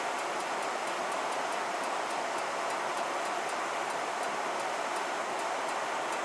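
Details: 1990 Heil gas furnace safety trip: rapid, even clicking, about four or five a second, over a steady airy furnace rush; attributed to a failed control valve.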